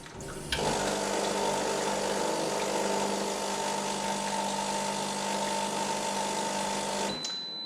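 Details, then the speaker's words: Brasilia Festa / Bianchi Talia bean-to-cup coffee machine, daily cleaning rinse cycle after reassembly: steady pump hum with water running through the mixing bowls into the cup, then a single high beep marks the finished rinse; no leaks, reassembled correctly. "You hear the beep to say that the cleaning rinsing cycle has finished."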